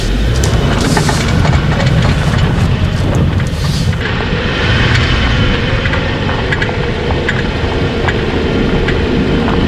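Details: Front-wheel-drive car, tight slow parking-lot loops under throttle: sharp repeated clicks over engine and tyre noise; worn CV axle joint, replaced.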